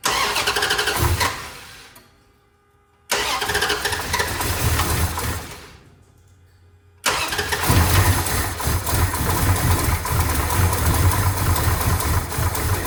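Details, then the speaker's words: 1970 Dodge Charger, new fuel hose and filter, 2 gallons in tank: two cranking bursts that die without catching, then rough rumbling run; not picking up fuel to the pump. "Well, this thing's not picking up fuel to the fuel pump. So, I'm going to just try to pressurize this tank a little bit."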